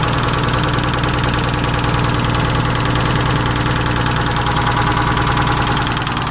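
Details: GM PD4104 coach with Detroit 6-71 two-stroke diesel, start after sitting for years, started manually from the rear starter: steady, even idle clatter with a strong low rumble, no misses or odd knocks; healthy idle.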